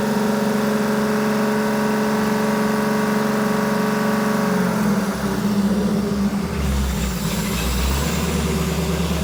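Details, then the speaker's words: 1975 Ford F150 fresh 390 FE V8 during cam break-in while coming up to temperature: steady raised speed, even throaty drone, no knocks or misses; normal fast idle. "Okay, now it's breaking time. So, I need to bring this thing up to temp and we're going to run this at about 2500 RPM for about 30 minutes."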